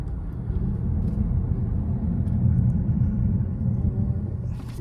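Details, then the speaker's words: 2015 Honda CR-V, 112,000 miles, test drive after replacing front sway bar bushings, end links, brake pads and rotors: steady low road rumble with no clunks or rattles from the front, now quiet and solid. "breake is so good so quiet now it's fixed break yep it's good solid sound no more rattles"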